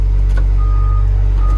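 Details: Construction machine, after error codes cleared: steady high single-tone beeps about one per second over loud low diesel rumble while moving backwards; reversing alarm normal.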